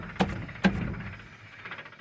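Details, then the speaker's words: Rear differential with wheel spun by hand while tracing a vibration: two sharp clicks about half a second apart, then quiet, from inside the pumpkin; oil recently changed, no leaks; cause suspected, not confirmed. "it sounds like it's coming from inside this pumpkin here let me spin this again it's like a clicking noise now these do have four1 gears and I know that some gears can make a little noise"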